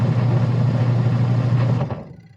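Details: Sharp Gigawash 6 5kg washing machine after pulley replacement: even low motor hum with no squeal or knock, winding down and stopping after about two seconds; the drive is running normally.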